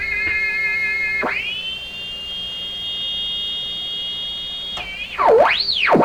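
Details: Hammarlund SP-600 double-conversion communications receiver tuned near 11.5 MHz, fed full-output signal generator into antenna with BFO on: whistling beat tones shift as tuned; signal received but only weakly on higher bands, suspected wiring error.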